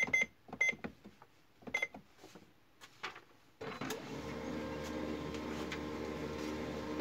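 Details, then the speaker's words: HP LaserJet MFP 3052/3055 after repair: a jammed bottom-tray paper pickup and a solenoid problem were fixed, and the test page prints with soft clicks and an even feed hum, no gear noise. Normal quiet printing. "इसमें 2 मसले थे, वो दोनों क्लियर हो गए और ये प्रिंटर भी बिल्कुल साइलेंट है।"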